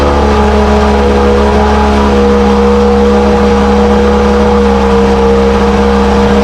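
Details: 1968 Evinrude Fastwin outboard, bought as-is and run in a test tank with no work done; smooth, even two-stroke drone at steady speed with no misses, knocks or rattles; normal running, healthy despite dirty condition.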